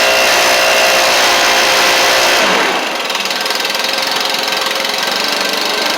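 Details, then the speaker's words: Stihl BR700 two-stroke blower, previously non-running, after a Hipa carb kit install, warming up after some choke play: steady high-pitched roar settles after a brief dip, holds even with no surging or stumbling; running healthy. "So, let's crank it up. I just kind of had to play with it a little bit. Little bit of choke settings and stuff. Heat up here."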